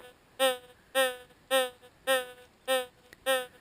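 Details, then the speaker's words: White's GMT gold detector, VSAT near diamond, ground balanced: six evenly spaced tonal boings about every half second as a dug-out cold stone passes the coil; cold rock, not a nugget. "Boing, boing, boing, boing, boing, boing. Cold stones, or leaverites, which means leave her right where she lay. That's not the signal we're after."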